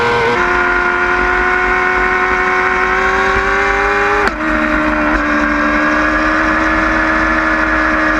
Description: High pitch noise, normal?? 09 yamaha R6